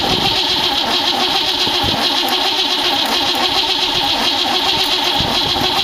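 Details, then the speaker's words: 1914 Dodge T-bucket roadster with carburetors: starter churns steadily with no cylinder catching. No spark: points weren't opening and were fixed, timing was off, the coil wire was bad, and the coil feed was hooked to the accessory wire. "now this is a comedy of errors I finally got two points weren't opening right we got those fix and I couldn't get the timing right hit the firewall I got something it's running right now and still my coil wasn't firing turns out that I had the coil wire hook to the accessory wire"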